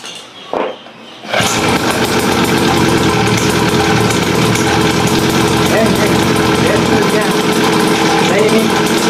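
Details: Raptor 87 two-stroke pocketbike after exhaust silencing mod (canister removed, tube drilled, steel wool packed, extra silencer added): fast, even buzz at steady revs, no misfire or knock; noise reduced, no longer painful to the ears, normal running.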